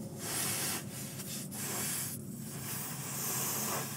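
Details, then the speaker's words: Vehicle's rear tire, found low on a road trip and just aired back up: a steady airy hiss with brief pauses as air escapes around a valve stem that is not sealing and is cut; stem needs replacing. "the valve stem is like not sealing I don't know if it's seated all the way or it's not seated all the way is it cut"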